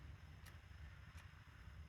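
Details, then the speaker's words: 2007 Suzuki DL650 V-Strom pressing start with clutch pulled: lights cut out and only a faint fuel pump whir and low hum, no relay click, no crank, no error code; fault found to be the clutch switch. "the starter wouldn't even engage no clicking nothing you hear the fuel pump coming on but um no error code nothing it's just as if the starter is dead"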